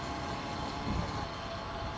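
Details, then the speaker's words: Honda Revo converted to an electric motorcycle, riding: quiet electric motor under a steady whirring chain rattle; the chain final drive is normally noisy on this conversion, nothing faulty. "Emang suara Rantai aja sih yang cukup lumayan terdengar di sini ya kalau lagi jalan memang salah satu kelemahan dari mitrave yang masih pakai rantai yaitu suaranya bising"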